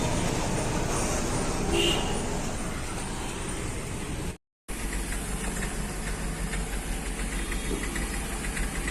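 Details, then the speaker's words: Hyundai Xcent diesel revved to about 2000 rpm then throttle released: rough uneven clattering knock, misfire-like stumbling and heavy white smoke from incomplete combustion; scan shows only a power steering fault, with the engine control module later found faulty. "इसका problem ऐसा है कि accelerator दे कर के अगर छोड़ दिया तो यह नॉकिंग करना चालू करता कड़कड़ कड़कड़ और मिसिंग टाइप होने लगता है और स्मोक मारने लगता है वाइट स्मोक देना चालू करता है"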